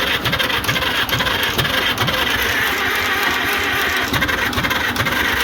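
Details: International Harvester McCormick 64 pull-type antique combine engine, starter just refurbished (brushes polished, greased, oiled): steady slow starter churn, about two strokes a second, going on without a catch; turns over but won't fire.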